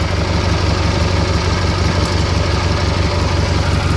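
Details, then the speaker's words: Kohler Magnum 18 single-cylinder engine in a Craftsman GT6000 tractor, bought for its engine; hard to start (needed ether and jumper pack), owner notes blow-by and oil leaks from a prior botched piston job; steady even low thump at fast idle, running smoothly. "just thought I'd butter around for another minute or so but man just listen to that so smooth will shut her down here and it'll be the last time it runs in this tracker"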